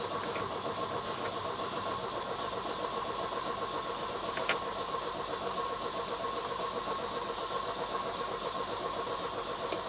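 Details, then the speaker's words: Volvo 240 with carburettor choke, fuel tank refitted after running from a remote petrol bottle, booster pack on battery: starter churns unevenly about four turns a second for ten seconds with no firing; cranks but won't start, owner suspects weak spark. "Oh, good grief, she just don't want to go, does she?"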